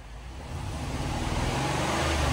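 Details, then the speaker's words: Cheap as-is supercharged L322 Range Rover V8 with slight supercharger noise and a small exhaust leak, idling after being revived. Steady, even low rumble with no knocks or misses, a little louder as it warms; idles smoothly and sounds healthy. "but you know doesn't sound awful at least from right here and right now it's idling"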